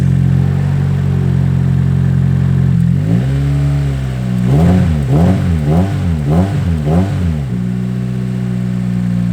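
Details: Nissan S14 petrol engine after a new filter was fitted: uneven idle then quick revving blips with rough stumbling note, still misfiring.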